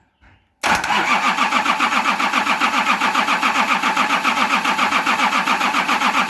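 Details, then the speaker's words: Nissan LD28 diesel in a 40 series Land Cruiser, not run for years, injectors cracked and starting to dribble: even cranking at three to four turns a second, never fires; the injection pump's fuel cut-off solenoid isn't powered with the ignition. "I just realised that this pump has a fuel cut-off solenoid that when you turn the ignition on, it opens to allow fuel to flow."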